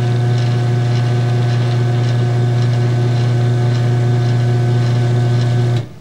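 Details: Garage door opener running with safety sensors bypassed by a 555 timer pulse board: loud steady motor hum with faint rhythmic chain clatter for six seconds, then stops cleanly; working normally.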